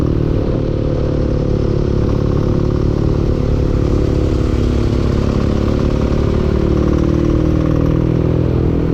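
A low, steady engine drone with a dull, regular clatter riding on the firing beat; knocking from inside the engine, cause unknown.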